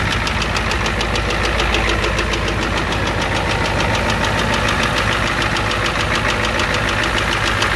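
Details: 1988 Ford F250 7.3L IDI diesel at idle: steady, sharp knocking above the usual clatter, with a high-pressure fuel line leak, white/gray exhaust smoke, smoke from the oil dipstick, and oil in the add zone.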